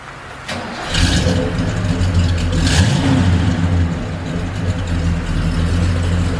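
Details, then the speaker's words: 1978 Ford XC Cobra barn find, not started for 6 years, new battery fitted: it cranks briefly, catches at once and settles into a steady, even idle; starts and runs cleanly. "this one here we literally put a new battery in it and turn the key and it was straight away"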